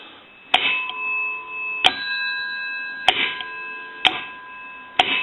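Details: GPO P&T 606 rotary dial desk telephone from Ireland, final checkout after repair conversion: short clicks about once a second, each followed by a light ringing ding as the hook switch is worked; bell tinkle is normal.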